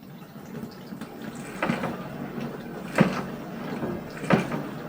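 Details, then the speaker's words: LG 12-place dishwasher mid-wash, recorded at unadjusted volume: steady spray swish with a hollow thud about every 1.3 seconds as water strikes the open rinse-aid compartment lid; not a fault, fixed by closing the lid. "바로 린스통이 열려있는 것인데요. 몇 번 일부러 흔들어 봤을 때 소리가 그리 크지 않았지만 실제로 내부에서 지속적으로 부딪혔을 때에는 더 크게 울리는 것을 볼 수 있었습니다."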